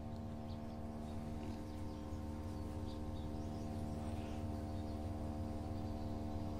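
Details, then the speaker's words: Samsung Digital Inverter direct-drive washing machine loaded with wet clothes, in spin: the drum is balanced, then ramps up in speed with a faint, even hum and no knocks. The motor is very quiet compared with conventional-motor washers, a normal spin. "y ahí va ya está empezando a agarrar más velocidad se está escuchando directamente en el motor se escucha Y fíjense como el motor es tan silencioso que no se escucha como las lavadoras que tiene el motor convencional"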